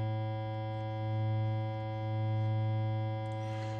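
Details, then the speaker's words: Krank Nineteen 80 Jr 20 W tube amp on the bench at 120 V, fed a 100 Hz triangle wave: a steady buzzy low tone whose bottom end swells and eases as the bass control turns, clean with no crackle. "nd I am running a 100 htz triangle wave through the input why well because you could actually hear all the little Basse stuff you could hear all the EQ stuff"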